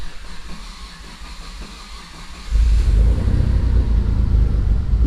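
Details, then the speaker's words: Mitsubishi 3000GT VR4 cold start, no throttle input: about two and a half seconds of steady cranking, roughly four turns a second, before catching to a deep rumble; slow to fire, owner suspects fuel needing to prime. "She started. I would have liked it to start a little bit easier than that, but had to get some fuel up there, I guess."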